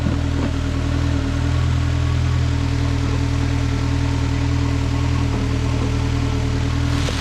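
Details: 2012 Nissan Altima crank-no-start fixed with a new IPDM and repaired corroded, burnt wiring: steady even low hum with no misses, knocks or hunting; normal idle after repair.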